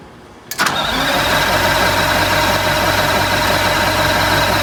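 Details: 1985 Bluebird Wanderlodge PT40 diesel, after the primary fuel filter was refilled and the system primed; a short crank, it catches at once and settles into a steady, even idle clatter, starting and running properly.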